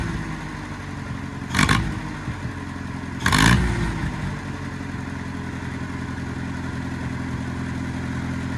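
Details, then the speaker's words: Old Oliver OC3 crawler after manifold gasket change, swapped battery, pressing start: two short loud bursts then settles into an even steady idle, no knocks or misses; fired right up, normal start. "And then, as I was coming out, Victor just hit the start button and it fired right up."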